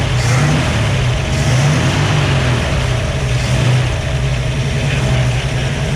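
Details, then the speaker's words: Idle of a 1967 Ford Fastback 289 V8 with a new cam, freshly revived, with high oil pressure. Deep, even idle with a steady low burble and faint light ticking underneath. Engine running healthy. "so this car can sit and idle it's definitely sounding nice"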